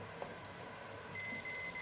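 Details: Kit-built Telecaster guitar that buzzed from a grounding fault, after re-soldering: a quiet room, then a steady high continuity-tester beep confirming the bridge is grounded.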